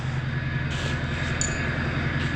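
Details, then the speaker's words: Diesel pickup just back out of the garage after months parked, now shifting nicely, transmission fluid was low and maybe still a little low, up-pipe cracked, oil leak at front, check engine light on: steady even idle, deep low hum, no knocks or misses. "well pickup's out of the garage um it shifts nicely now it was low on fluid I think it's still a little low I want to run it a little bit let it do its thing then we'll check it"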